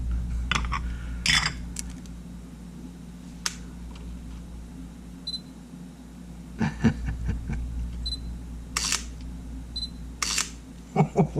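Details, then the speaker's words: Sony A7 camera without lens, several shutter firings as harsh scratchy snaps instead of clean clicks; sand inside the shutter mechanism, also shutter button and EVF faults. "That sounds horrible, but it works. Oh, you hear that? Oh my god, that's the worst sound in the shutter. There's sand all over in this in the shutter."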